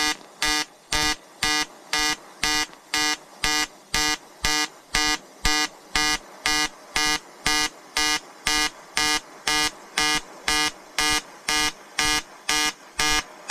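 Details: EWM Tetrix XQ 230 Puls AC/DC inverter TIG welding 5000-series aluminium lap joint: 2.4 mm lanthanated tungsten, 2 mm filler, 94 A pulsed (0.20 s pulse/0.30 s pause), 150 Hz rectangular AC. Crisp buzzing arc pulsing evenly about twice a second, bright stable tone; healthy AC TIG arc.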